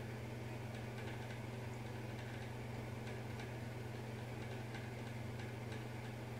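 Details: Bathroom fan, rattle returned days after a service visit, cycling intermittently for varying lengths, with a deep hum that grew louder over months: steady low fan hum with faint, uneven ticks coming and going; intermittent rattle, cause unknown.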